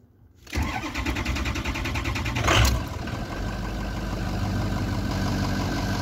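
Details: Ford 6.0 diesel previously crank-no-start, IPR removed, air leak tested with no leak, reinstalled; ICP voltage 0.31: starter catches and engine fires straight into an even, steady idle with no stumble; normal start.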